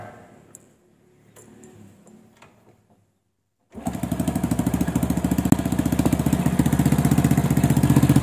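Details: Honda Supra motorcycle after replacing the worn cam chain and chain guide; valve clearance 0.05 mm, tensioner reused: single fires up and settles into an even, steady patter. The earlier noise is gone, with no tick or chain rattle.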